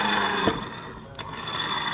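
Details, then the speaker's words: Honda Beat scooter final drive (rasio) with the secondary pulley removed and the wheel turned: rough gritty grinding, thin steady whine and dull knocks, very loose and harsher under load; worn gearbox, pulley bearings still smooth. "Suaranya sangat ngorosok sekali dan ini ojlak sekali tuh. Goyang dompet guys. Ini terlalu parah guys. Tuh, ketika kita dikasih beban dia tambah kasar."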